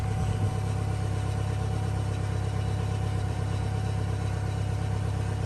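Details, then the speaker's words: 1997 Toyota Camry, sat four years, run with fuel treatment and octane booster while warming up. The idle is a mostly steady low rumble with a slight occasional stumble, a mild misfire; the car needs new spark plugs. "So it's actually sounding better. Still got a little bit of misfire. You can hear it."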